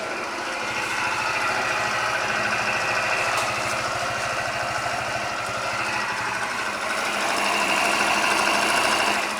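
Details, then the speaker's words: Scooter after a new crankshaft and piston kit (0.04 mm piston clearance), with the defective piston (pin skewed from factory) replaced: steady, even idle with only light gear rustle and no ringing knock; fixed. "Вот как можно теперь услышать никакой стука нет так [аплодисменты] Всё теперь тихо работает Вообще практически не слышно никакого звонкого стука не"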